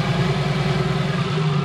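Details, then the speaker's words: Custom-built BMW M50B25 turbo double VANOS engine, first start, cold and running very rich: low, lumpy but even idle, light clicking from solid (non-hydraulic) tappets, quieter than expected, no knocks or misses; sounds healthy like an old engine. "Do you hear the light clicking noise? There are no hydraulic tappets. But the noise is not very loud. I thought it will be worse, than from an M20 engine. All good. It sounds like an old engine."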